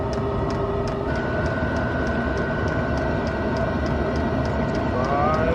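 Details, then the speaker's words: Diesel heater in a camper van in subfreezing Alaska, heard at its exhaust beside the van's exhaust, just lighting at about 44 °C internal (normally 120–130 °C): steady rapid fuel-pump ticking over soft exhaust rush, even burn, running normally. "So this is the diesel heater exhaust. It's run right next to the van's exhaust. I think it just lit."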